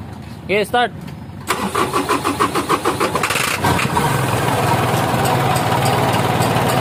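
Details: Semi-electronic engine with a hard-start problem; the starter grinds through about a dozen slow turns over two seconds before the engine catches and settles into idle. Hard starting.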